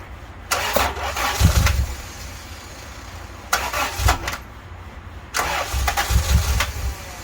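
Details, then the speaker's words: 1991 Honda Civic hatch with a swapped B16A engine, crank-no-start case; three rough crank-and-catch attempts with dull pops, stumbles and slight backfires before dying; ignition timing is off. "Alright, as you can tell, the timing is off by the way it starts and kind of backfires a little bit, so there's definitely a timing issue."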